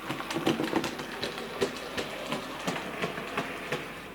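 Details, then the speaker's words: Model locomotive Sir Walter Scott makes a sharp clunk nearly three times a second. The cause is a split axle gear. "stop it there and back again and this is trim Bush and Back Again and keep doing that now I've taken the tender off to make sure it's not the tender and you can hear that clunking"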